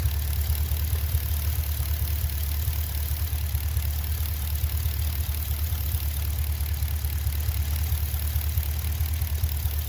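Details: Pontiac G8 with 6.0 L76 V8 at idle: deep steady idle with a faint, loosely regular tick about two per second and an audible hiss; owner unsure whether lifter, rocker noise or normal.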